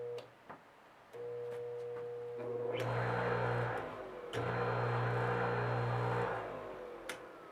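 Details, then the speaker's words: Old electric motor for a shop tool, after repair and cleaning: low hum coming up to speed with sharp clicks as the spring-loaded centrifugal disc expands, at first switching it off; clicking during run-up, exact fault unclear. "You guys hear that click? That's that spring-loaded disc expanding. Once it expands, I guess it must click."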